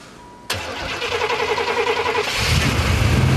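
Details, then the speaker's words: 1992 Buick Roadmaster, TBI 350 Chevy, 169,000 miles, buried in snow after -25° nights, battery swapped: steady starter chug about three or four turns a second, then catches into a rough cold run. "not giving up yet put a side swap out the battery giving her full crank"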